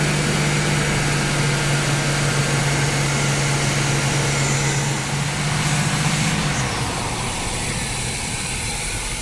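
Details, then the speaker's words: 1976 Chevrolet Nova V8, 35-year garage find, first running with a screwdriver propping the carburetor throttle plate (choke/accelerator pump issues suspected): steady even low rumble, no hunting or misfire; idling well, upper radiator hose warming. "It's been idling real good so far."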